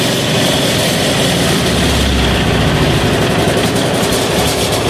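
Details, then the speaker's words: 186FA single-cylinder diesel restarted on diesel after running out its motor oil fuel: a steady, loud, even chug at idle. It runs normally. "all right we ran her out of fuel and just to show you that's off let's turn this this on and start it up again there we go now we're on diesel"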